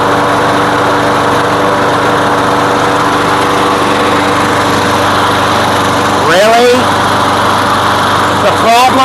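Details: Craftsman lawn mower running with gasoline-soaked air filter removed; small engine holds steady even buzz at constant speed, no stumbling or surging, runs smoothly; the air filter was the problem, not the carb.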